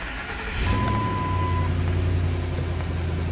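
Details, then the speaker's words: 2006 Ford F-150 5.4 V8, previously in limp mode with codes and blowing fuse 32 from a melted O2 sensor connector stuck on exhaust, now repaired: engine catches and settles to smooth, even idle, no stumble or sputter; RPM holding steady, power back. "and right away I can tell by how the car is idling and RPMs back to normal because before when I held it at like 2000 it would you would hear it misflowering or sputter right now she's holding steady"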